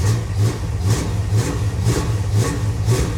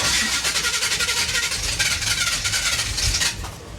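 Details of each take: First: 1977 Chevy Monte Carlo after the distributor was turned the correct way to advance the timing: steady, even idle with a deep throb about twice a second and no misses or knocks. Timing was then checked at about 7° initial and about 32° total. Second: 1977 Chevy Monte Carlo, off the road for decades: uneven, labouring cranking that stumbles and fades without catching; distributor was turned clockwise, retarding timing instead of advancing (advance is counterclockwise), making starting worse.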